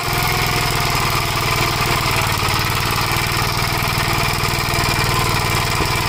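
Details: 1956 Gravely Model L single-cylinder under steady load, governor removed, after full-throttle running: rough uneven beat with irregular pops, smoking; owner suspects oil-fouled plug, possibly broken ring; carburetor and points fine; unconfirmed.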